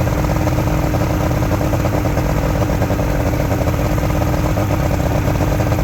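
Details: Junkyard Ebb Tide bass boat two-stroke outboard, run on a water hose after sitting: a loud, steady burble at fast idle, even, with no misfires or knocking. It is idling normally and running well.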